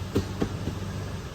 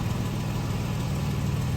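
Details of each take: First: Late-model Toyota Tacoma idling in gear under load with the foot on the brake: low rumble with sharp tinny rattles from underneath the vehicle. Possibly exhaust-related. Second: Late-model Toyota Tacoma after reattaching loose catalytic converter heat shield with clamp and bolt (rattle complaint): steady, even low engine hum with no metallic buzz or rattle; normal exhaust, no rattle, repair fixed it.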